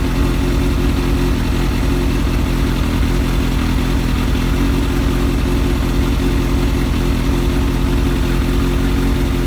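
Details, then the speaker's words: Kawasaki ZX7R sportbike four-cylinder, being charged after sitting on a 2-year-old battery the owner suspects is ruined, holds an even steady idle for ten seconds with no knocks or stumbles; normal idle. "I've got a bad feeling that it's knackered the battery up, it being sat there, but it's ticking over, as you can probably hear, perfectly."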